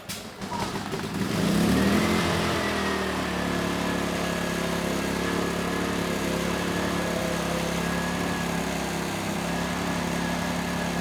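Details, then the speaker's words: ERAYAK 3500 W tri-fuel inverter generator, gravity-fed fuel, choke on, first start: engine catches within a second and settles into a steady, even run with a faint constant tone; starts right up, light comes on, about 124 V at 60 Hz; normal start and run. "okay good the engine started right up sounds good and that light came on right away"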